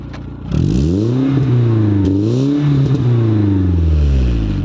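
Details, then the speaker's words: BMW E36 after replacing accessory belt parts to cure loud clacking: engine revs up and down smoothly with no clack or tapping, only faint normal power steering pump whine; sounds healthy. "là on entend bien que le moteur quoi on entend quand même la pompe de DA mais ça c'est normal et sinon c'est nickel"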